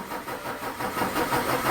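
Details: Volvo D13 diesel: long steady cranking without catching, hard start/no start; after several tests bad injectors were found as the cause.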